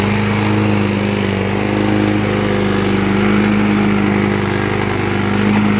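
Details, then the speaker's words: 2003 Toro Recycler single-cylinder mower after engine repair, fuel still burning off some water: loud steady drone with faint uneven rattle; engine now runs good, owner suspects something on the deck or a bent blade. "it's not the engine the engine's running good now might just be the deck something on the deck rattling or again the blade itself but the engine is finally good"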